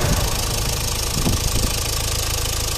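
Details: Renault Clio Estate 1.5 dCi, about 180,000 km, idling during hydrogen decarbonising: steady diesel idle with a hard, random clatter on top; suspected injector knock, no warning lights or stored fault codes, cause not confirmed.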